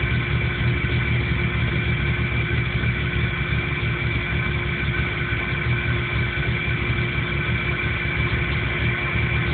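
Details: 1997 Jeep Cherokee with no trouble codes that won't idle right and dies under power; low idle rumble with an uneven, slightly lumpy beat against a steady hum. Rough idle, cause not evident.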